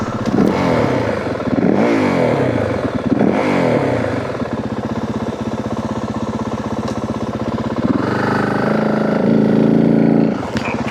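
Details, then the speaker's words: 2025 Yamaha WR450F after a fall and time in a gully, revved to clean it out; the rider suspected it was loaded up. Revving is uneven and rough, sagging and stumbling instead of climbing. The engine bogs; the front brake later felt on, cause unconfirmed. "You'll hear me rev the motorcycle up trying to clean it out. I thought maybe it was loaded up from the U fall and the time down in the gully."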